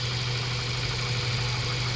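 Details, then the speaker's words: Mazda 3 1.6 running after cylinder head work for low compression and vibration, with wrong-size crankshaft oil seal leaks fixed: steady idle, smooth low hum, no uneven shake or stumble; engine running as it should. "Yan so Ayan umaandar yyung ah Mazda tree natin Tingnan niyo mga boss matining naandar niyan"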